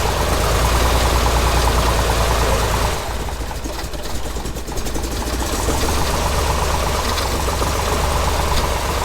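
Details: Corvair rally car after swapping fittings to restore fuel delivery: steady low even idle with a dip in level midway then recovering; runs smoothly with no knock or miss.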